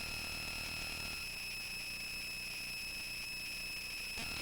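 A constant high-pitched whine with fizzing hiss underneath, unrelated to any content; electrical interference is getting into the audio output. Cause suspected, not confirmed.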